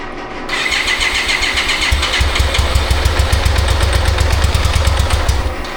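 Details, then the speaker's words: 1995 BMW K75RT motorcycle sat nine years, after fuel system overhaul and new radiator fan and coolant temp sensor: cranks, catches, then uneven lumpy beat with cylinders dropping out, no response to throttle; misfire later traced to injectors not delivering fuel. "nothing even when I'm giving it throttle. So now I'm confused."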